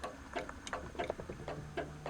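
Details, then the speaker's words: 1956 Jeep Willys 4x4, automatic, in the cab: faint light ticks roughly three a second as the horn engages, likely the horn relay clicking; clicking when horn is pressed. "I'm not sure if you can hear that or not, but the horn is clicking to engage."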